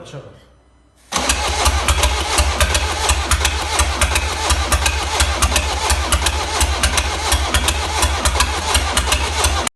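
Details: 1.6 HDi diesel fires up then idles with a sharp, fairly regular tick over the clatter; top-end noise suspected from timing chain, tappets or bent valves.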